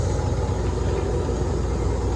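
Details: Electro Freeze soft-serve machine with a remote condenser, after reinstall, cleaning and lubrication: a low steady pump rumble with no knocks or squeals while the barrel fills with sanitizer, stopping when full; the pump runs normally.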